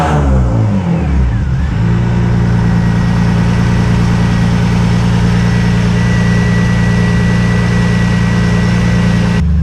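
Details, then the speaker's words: Widebody BMW E36 on individual throttle bodies with an alpha-N retune and no MAF or plenum: sharp blips, then a steady, even idle with no misses. It is slightly smoky but running normally. "Little smoky there, but it runs. Sounds absolutely fantastic."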